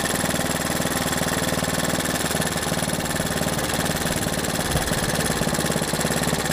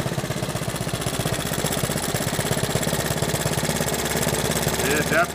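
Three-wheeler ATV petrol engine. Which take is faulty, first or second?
first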